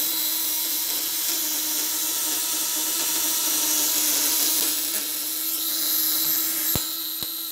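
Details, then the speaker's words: Contact-breaker (platina) fish shocker, 1 kg spool, on a used, leaking motorcycle battery with a lamp load: a steady high buzz over a constant low hum; vibration fine, occasional imperfection considered normal. "Nah, getarannya aman. Terkadang ada yang nggak sempurna seperti itu wajar aja."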